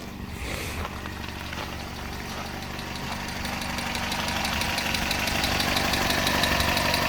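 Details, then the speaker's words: 1971 Datsun PL521 (1600) pickup, warm idle with a very quiet exhaust: light, regular ticking of about four per second over a smooth, slowly rising idle; the owner calls the engine very smooth. "smooth smooth engine though like keeping my hand on it like that I can I can feel it but it's no worse than like a washing machine for running slow very very smooth"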